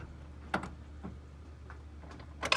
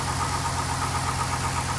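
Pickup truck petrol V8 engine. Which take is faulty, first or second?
second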